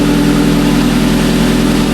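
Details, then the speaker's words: Audi S3 just after timing work, battery was disconnected and a loose fuel line clamp was fixed; a bit loud on startup, then a smooth, steady idle with an even hum and no knocks, ticks or misses; normal idle. "seems alright. We're going to be using a Rostec scanner to actually read it as well. It sounds alright."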